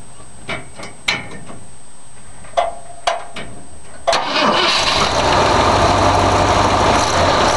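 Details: A freshly rebuilt and timed 1965 Ford 352 V8 in a wagon cranks in several bursts while the key is off, then starts on the key and settles into a steady even idle; it starts and runs cleanly, with the owner noting it needs antifreeze.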